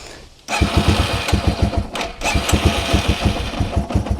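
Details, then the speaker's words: Yamaha TW200 single idling, choke off, with a simulated vacuum leak at the carb-to-head intake boot: uneven faltering thumps, struggling to stay running; lean rough idle from intake air leak. "And yeah, it's struggling to stay running. I can give it gas. Oh, did you hear that pop? That's definitely a sign of a lean condition."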